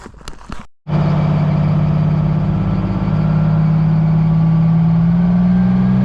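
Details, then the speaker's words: "Screaming Jimmy" truck (Detroit two-stroke diesel per sound): a steady, loud, high-pitched scream over an even diesel drone that climbs slightly with revs. Normal, healthy running. "Somebody said they wanted to hear a screaming Jimmy. I don't want to hear it, but here you go."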